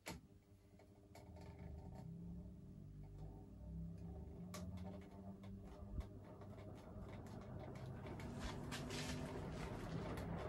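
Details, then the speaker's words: Crompton Greaves High Breeze 56-inch ceiling fan, zero to high on a three-speed controller: irregular light ticking and rattling growing with speed, canopy tightened against the wooden ceiling mount; canopy rattle. "again all that rattling is from the canopy i should have slackened it off a bit"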